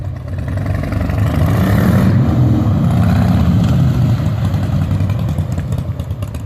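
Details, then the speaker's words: 2003 Harley-Davidson Softail Standard after changing oil, transmission gear lube (Amsoil 75W-90) and primary fluid (Amsoil 20W-50), riding: even V-twin rumble through shifts, no hard clunk, quieter than before; shifts smoothly like butter. "quieter Wow big difference but Dan just drove it around the block so how does it shift in I like butter like butter"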